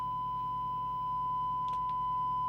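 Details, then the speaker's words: Kernow Beta 4100 mobile CB radio, a dead set being repaired, receiving a 100 µV signal generator tone: steady test tone with a buzzy, strangled edge. The receiver is distorting and the cause is not yet found. "So let's see if we can hear the signal generator. We can. Sounds a bit strangled."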